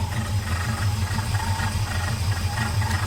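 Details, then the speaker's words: 1978 Ford F-250 at cold start: rough, lumpy idle with a loose rattle pulsing about twice a second; owner suspects the fan or belt needs realigning, echoing an earlier rattle; source unconfirmed. "i think i need to realign the fan or the belt hear that"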